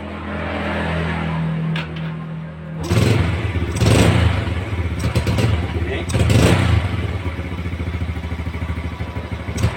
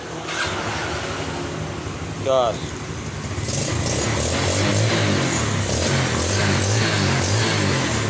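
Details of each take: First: Yamaha Vega R motorcycle left overnight, cold morning start: catches on the starter, then runs rough with uneven stumbling bursts and dies when throttled until the combustion chamber warms; hard cold starting from a clogged carburetor pilot air passage. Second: Yamaha Vega R motorcycle with a cold-morning hard-start problem, after carburetor replacement and kicking it five times with ignition off: short starter whirr, then it catches on the first electric-start press and settles to a steady idle; normal start.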